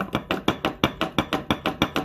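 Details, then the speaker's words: 2009 Ford Escape Hybrid running after transmission work: heavy regular clunks about four a second with rotation from front driveshaft/driveline installed off-center; undrivable like that. "All that noise right there. He didn't hook that up correctly. So that's our audible tone."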